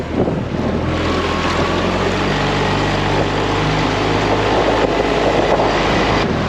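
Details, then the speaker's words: New Yamaha outboard on a dinghy, first hour, carrying 160 lb of dogs at barely any throttle: steady low drone with even firing under wind and water noise, no misses or knocks; normal low-throttle running. "given it hardly any throttle and we're going very easily here this is fantastic"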